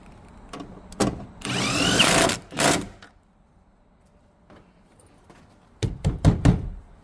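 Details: Ford Transit front door being shut: hollow slam followed by a loose buzzy rattle dying away; something inside the door is loose.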